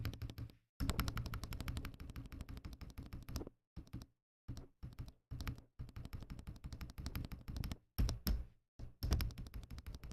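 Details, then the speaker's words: Akko ACR Pro 68 keyboard after installation: bursts of crisp, even keystrokes with a solid low thock and no stabilizer rattle; sounds normal. "Yeah, I'm pretty happy with that. That sounds pretty good."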